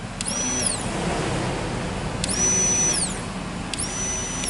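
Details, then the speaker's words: Fuel pump for a 1998–2001 Jeep Cherokee XJ, tested on the bench before replacement with a test wire in place of a damaged cable. An even, continuous electric whir with a steady high buzz and no stutter. Pump and float tested working. "entonces esta bomba ya se probó la bomba funciona se probó el flotador"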